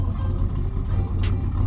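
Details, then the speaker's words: 1987 Buick Grand National with a 6262 ball bearing turbo, recorded by a microphone outside the car after startup. No smoke on startup. A smooth, even low idle with no misses, knocks or ticks: normal idle. "Sounds really, really good."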